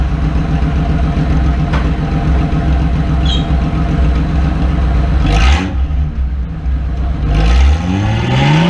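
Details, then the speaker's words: Datsun rally project, after oil flush and muffler removal, exhaust now exiting next to the diff: deep, raw, very loud bark swelling sharply on throttle blips, muffler removed. "Alright, muffler is off. And it's on the floor. You can see some of the holes. And now it's coming out right next to the diff right there. I don't know if we can see that. So, now we crank her up and see how bad she sounds."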